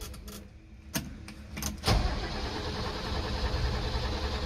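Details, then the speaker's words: 1980s Mercedes-Benz G-Wagen with mechanical fuel injection, long stored in warehouse, fuel gauge possibly wrong: a few clunks, then steady even cranking that never catches; turns over but won't fire. "oh this is not good can't get anything started oh my gosh why won't you start g-wagen I think there is fuel in here that gauge just might be off"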